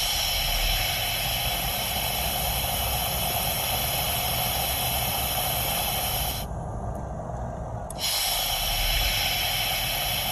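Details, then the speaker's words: Perodua Kancil with brake fluid always low in master pump: steady airy hiss when brake pedal is pressed, briefly dropping out; brake booster leaking vacuum. "So lebih kurang begitulah bunyi dia. Kalau break booster tu dia ada kebocoran udara ataupun sudah mulai bermasalahlah break booster tu."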